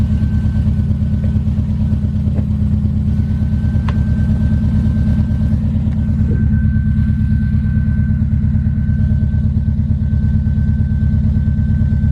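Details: Steady idle on a new exhaust coated with Muffler Weld sealant; a quick, even puffing beat about two per second over a low rumble as the exhaust leaks at the failed sealant patch.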